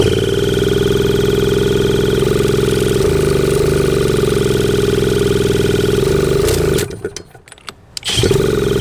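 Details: 1981 Suzuki TS250 two-stroke, long parked, B8S plug: high steady buzzing revs hold by themselves, briefly cut out, then surge back; runaway revving, cause unknown.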